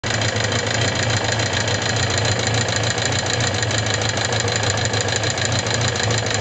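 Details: Suzuki GSX750S Katana: dense, fast metallic top-end clatter over a steady idle, begun after hard revving; persists despite replacing rocker arms, camshaft and cam chain parts and adjusting valve clearance 0.07–0.15 mm; cause unknown.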